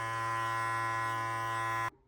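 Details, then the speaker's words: Procolored L1800 DTF printer during daily pre-printing maintenance: steady even electric buzz for nearly two seconds then clean cutoff, the white ink circulation cycle running normally. "Okay, that was the white circulating. It makes that noise."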